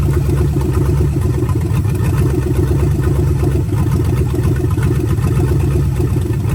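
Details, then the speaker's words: Budget 283 small-block Chevy with vacuum-secondary carb, freshly swapped into 1985 Oldsmobile Cutlass with turbo 350: deep even V8 idle with steady lumpy pulses, no knocks or misses; ran full cycle, thermostat works; normal idle. "well it's good that this thing runs um went through a full cycle to open up thermostat and everything thermostat works good obviously"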